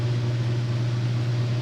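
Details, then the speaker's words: Vintage Lennox blower with new belt, recorded about 10 feet away: steady low motor hum, smooth with no squeal, slap or rattle; noise is just the motor, unisolated from the blower chassis, normal operation. "it's that noise is just the motor there's no isolation between the motor and the chest with the motor in the blower chassis"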